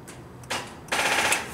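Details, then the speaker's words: Dead Genie boom lift on a cold construction site, NOCO GB70 boost pack connected, 11.9 V: two bursts of rapid sharp clatter, no cranking; starter clicking, possibly a bad connection. "damn could be a bad connection let's try again"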